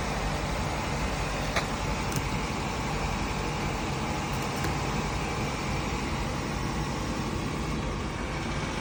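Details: Audi A5 with the engine labelled AE888, after an engine noise repair: steady, even hum with no knocks, ticks or rattles for nine seconds. Smooth, healthy normal idle.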